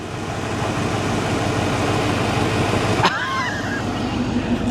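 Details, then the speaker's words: Keyless fuel-injected 1983 Mercury Cougar V8, started with a screwdriver after the ignition was drilled out: a steady, even low idle rumble with no knocks or misses, though an exhaust leak is noted. "And it fired right up. Perfectly fine, too. It runs perfect."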